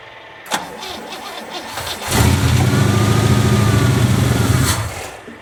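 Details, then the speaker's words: 1963 Oldsmobile 88 V8, carbureted, cold day, after running the tank dry: starter churns, engine catches and runs roughly a few seconds before dying; fuel-starved hard start, choke suspected faulty. "it ran dry yesterday so it might take a few cranks hopefully the battery's good cold out"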